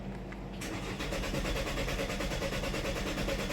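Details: 2018 Chevy Malibu with cam/crank correlation timing codes and fuel rail pressure codes, suspected broken vacuum pump that upset timing: the starter churns evenly at about three turns a second, but the engine never catches. Cranks, no start.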